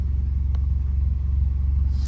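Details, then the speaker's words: Vauxhall 1.2 engine at idle with engine management light and code P0137 (HO2S sensor 2 circuit low voltage); deep low pulsing, louder and rougher than normal, caused by a hole in the exhaust before sensor 2. "So the reality is the car, you can hear it's a bit louder than normal, which is making sense why we have this fault code come up and the engine management light. It turns out that there is a hole within the exhaust before sensor 2."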